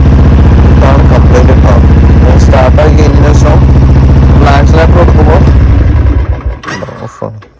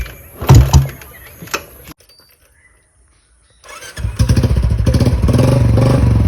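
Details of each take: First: Single-cylinder motorcycle carburettor bike with water in the petrol tank and carburettor, choke pulled, accelerator won't pick up; chugs unevenly, stumbles when opened up, then fades and dies; misfire from water in carburettor. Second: Motorcycle after draining water from the carburettor through the bottom drain with fuel on; after a short pause it kick-starts and settles into a steady beat, revving evenly without stumbling or missing; normal start and revving after fix.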